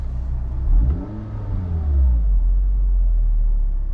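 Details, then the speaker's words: 2011–2016 Scion tC after spark plug replacement: revs pick up cleanly through a blip and settle back evenly, no stumble or shake; before, idle vibrated with RPM drops. Smooth revving. "Right now it runs a lot smoother, and when you give it gas too, the revs are a lot smoother."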